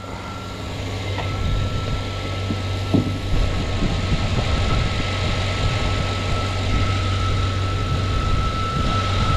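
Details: 2007 Chevy Suburban (stalling, extended-crank complaint) idling after the unplugged MAP sensor was reconnected and a shorting harness near the cam sensor area was found; steady, even idle with a constant low hum, no stumble, miss or surging.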